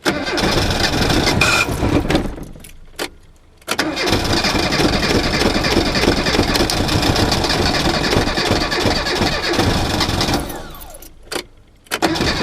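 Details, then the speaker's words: Reliant Robin with alternator not charging, battery low: starter turns over sluggishly with gaps, current too low for ignition, then engine catches and settles unevenly as charge comes up. "basically what's happening even though you can hear it turning over the current is so low in the battery it's taking it away from the ignition system"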